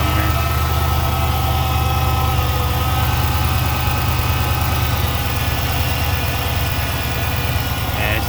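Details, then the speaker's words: 2006 Chrysler 300 SRT8, 71,000 miles, first start after an intake manifold gasket replacement: a smooth idle with a faint steady high whine over the low rumble. The owner suspects the power steering pump; whine at idle. "Let's go make sure we got no fuel leaks. Sounds like I need a power steering pump."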